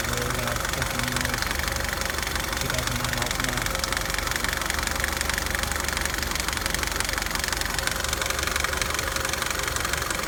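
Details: 2009 Nissan Altima at idle: loud, continuous, sharp clicking about four a second following engine speed, coming from the passenger side of the engine; cause unknown.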